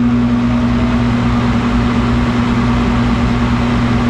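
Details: 1991 Snyder General furnace running after clearing a clogged pressure-switch port: the blower drones roughly with a steady low hum and a coarse rushing noise, sounding strained and worn; the motor looks to have been replaced before but the capacitor apparently never was, and the capacitor is suspected.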